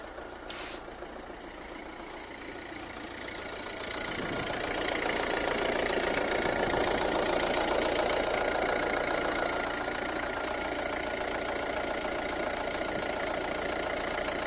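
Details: Volvo C30 D2 1.6 diesel, cold start: loud metallic knock/detonation hammering over the clatter for a few seconds, then it goes away; attributed to bad injectors, which also cause a rattle on acceleration at specific rpm.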